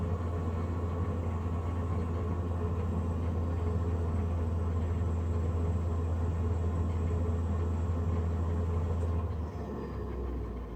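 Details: Loud, steady low drone from the combustion fan of a Navien NCB-240 boiler, holding a constant pitch for about nine seconds and then easing off; noisy combustion fan.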